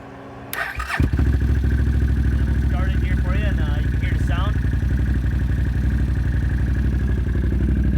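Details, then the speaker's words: 2016 Can-Am ATV with Attitude Industries fuel tuner on stage one: catches within a second of cranking, then steady even idle about four beats a second, no misses, no heavy black smoke or overheating; normal start and idle. "it doesn't seem to be running too hot not getting a ton of black smoke or anything like that out of it it starts up sounds pretty good"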